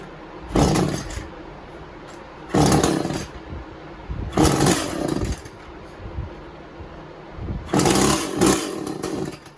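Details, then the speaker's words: Echo CS400 chainsaw, first start after OEM oil pump replacement: short revving bursts every two seconds with rough uneven idle between; owner suspects it flooded. "Must have flooded it."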